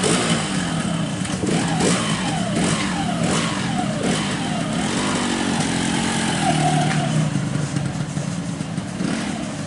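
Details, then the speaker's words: Late-2006 Yamaha RX King two-stroke, after its smoking oversize-200 cylinder block was swapped for an original small-oversize block. Crisp buzzing idle with quick blips that climb and fall cleanly; engine now smooth and healthy. "Oke, teman-teman, jadi untuk mesin sudah halus."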